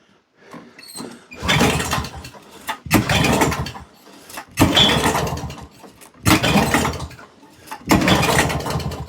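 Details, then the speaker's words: Old auction-bought mower at half choke, smoking, mixture screw wound out half a turn: repeated cranking bursts, catching briefly but never running on. Owner suspects a missing carb jet (empty threaded hole). "Now, that is definitely trying to go. I think what I'm going to do is I can't help thinking there's a jet missing out of that carb."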